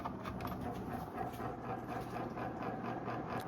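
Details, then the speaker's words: Antique Hunter R-36 "Original" 36-inch ceiling fan with metal blades, up to 90 years old, on high speed: a soft, steady motor hum carried through the blades under a whoosh of air. Normal. "The disadvantage of metal blades, you can hear the motor hum through them. But let's be honest, you're not buying this fan because it's quiet."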